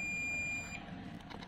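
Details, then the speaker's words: TOA ZA-2021 amplifier that keeps blowing its fuse, multimeter continuity test on the output transistors: a steady high beep for about 0.75 s shows one output transistor is dead short while its neighbour tests good. "untuk TR yang di sini bagus tidak ada short tapi yang TR yang sebelah sini ini short"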